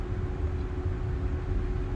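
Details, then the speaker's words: Infiniti Q50 with VQ engine, engine just shut off: steady rushing whoosh with low rumble and constant hum from the radiator fan that keeps running; owner suspects AC stuck on. Cause not confirmed. "No, that's the fan. That noise is coming from the fan. No, the noise went away, went down. It's the fan."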